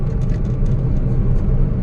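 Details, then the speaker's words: 2017 Hyundai Accent with misfire, on a test drive: steady low engine rumble, smooth and even with no stumble, pull back to normal, and the misfire count reads zero on all cylinders. "Nag normal din yung hatak no o nag normal na e o Ang ganda na ng hatak niya"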